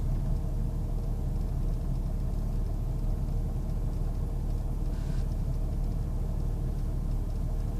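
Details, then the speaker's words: 1998 Jeep Grand Cherokee Laredo: a low, uneven idle rumble that wavers on its own as if it wants to stall. Rough idle, cause not yet found. "Why is this doing this? It's just doing this all on its own. It's like it wants to stall out."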